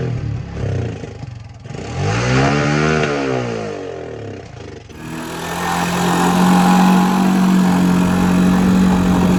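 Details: 1984 Honda 200M ATC barn find, stored 30 years, restored and still being fine-tuned, ridden: single cylinder rises cleanly through the revs, then settles into a steady, even drone on the move with no knocks. Healthy running under load.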